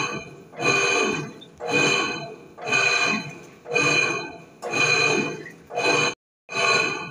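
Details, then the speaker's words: Electrolux 10.5 kg washing machine, filled with water, agitating: loud rough whirring surges with each agitation stroke, about once a second; noise also in spin, worn motor or mechanism bearing suspected. "Então, vocês percebem, pessoal, que é um barulho bem alto, né? Então acaba incomodando bastante."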